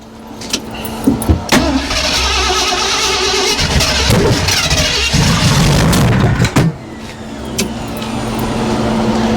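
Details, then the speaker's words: Freshly rebuilt Ford 390 V8 in old Ford service truck, break-in start with distributor loose for timing, vacuum advance plugged: cranks, catches, surges and stumbles then dies; possibly too much fuel, timing may need more advance, unconfirmed. "it was good for a sec, and then I don't know if we need to advance it way more. Oh, well, that's what I was just doing. Yeah, well, it died out."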